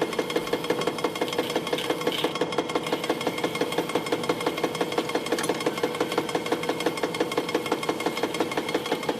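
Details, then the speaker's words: Webster 256 record changer in a Garod 15TZ6, motor lubed and bushings replaced: even scraping rasps about three a second as the mechanism gets stuck and can't go forward; changer dragging, tone arm returning prematurely, cause not confirmed. "what is that he stuck right there I think can't I can't go forward"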